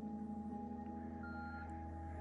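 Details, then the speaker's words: NABU computer powering up: steady tones with a short, higher beep partway through, the normal start-up beeps as it exchanges hello messages with the network adapter, which sometimes loops two or three times. "okay so she boots up and you can hear a couple beeps and it's kind of strange the way the Naboo sends a message saying you know hello and then the network adapter responds"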